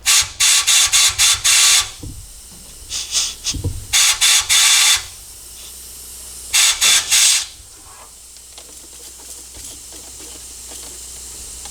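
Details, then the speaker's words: Ford F100 engine rebuild pressurized off the truck, soapy water on the gasket: bursts of sharp air hiss come and go, air blowing out from underneath the head past the head gasket. "it blowing up from underneath the head right there these are just soapy water that thing it just like blows out all from the inside that underside of the head gasket"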